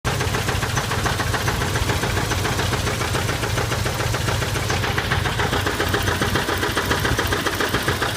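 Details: 1979 Chevy K5 Blazer with a 350 engine: steady idle with a regular knock about three to four per second. The cause is unclear, either a flexplate knock or an engine bottom-end knock.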